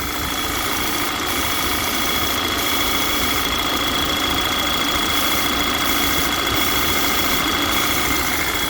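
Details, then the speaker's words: Audi Q3 2.0 TFSI (CCZC) idling lean with P2279/P2187 and check-engine light, engine cover off: steady loud hiss with thin high whistle from a failed PCV valve diaphragm pulling hard crankcase vacuum (dipstick cap stuck on), a vacuum leak. "this is the pcv um unit on these um volkswagen models and basically that's sucking so hard"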